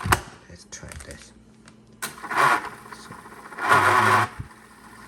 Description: Fix EL tape can not rewind, fast forward, or won’t turn